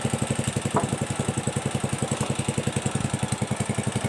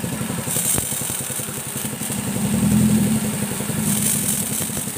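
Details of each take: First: Pressure washer (motorcycle wash machine) pump running: fast even pulsing chatter about three and a half beats a second; weak, low-pressure spray from worn pump seals and valve springs, which are replaced. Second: Motorcycle-wash pressure washer (steam machine) that had a weak water jet, running under full spray: steady, even pump pulsing about four beats per second, no knocks or rattles; normal running.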